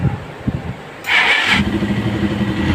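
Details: Hi Speed Infinity 150cc motorcycle after a clutch and gearbox repair, where play in a gear had caused a strange, harsh noise: after a brief rev it settles into a steady, even low beat with no rattle or clatter from the clutch side.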